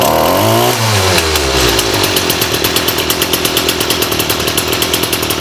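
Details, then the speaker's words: STIHL FS38 two-stroke trimmer, primed, choke on: high buzzing rev falls to a quick, lumpy idle that pulses steadily without dying; bogging fixed, normal running. "All right, let's start her up. That's a good sign."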